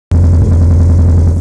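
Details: Vauxhall Corsa SRi x14xe engine with R6 bike carbs and Megajolt ECU: steady low drone with brief stumble near start; misfire traced to a break in one HT lead, replaced, and main jets enlarged because engine ran lean.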